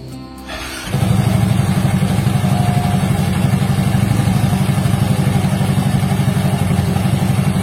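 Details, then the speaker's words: Yamaha Mio Soul GT 125 scooter, about 4–5 years old, steady even idle after cleaning sticky CVT boss; tek-tek ticking gone. "Itu dia bunyinya setelah proses pembersihan ya, langsung otomatis tidak bunyi tek tek tek tek lagi, auto sembuh."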